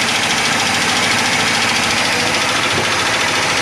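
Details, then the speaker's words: 1980s Egg Harbor 41 sport fish, twin 454 big-block marine V8: rough, uneven idle running on seven cylinders and over-fueling, one cylinder misfiring from a stuck-down intake valve. "But you can hear it. It just, you know, it's running on seven cylinders and just over fueling."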